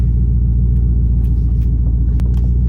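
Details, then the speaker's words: V8 car at idle, hot after driving: deep, steady rumble with sharp metallic taps as the exhaust rubs and rattles on the chassis again, felt through the floorboard; exhaust rattling against chassis. "I just got out of work and the exhaust is rubbing on the chassis again. So I think it got hot and it settled back into where it was before because it's rubbing just as bad as it was."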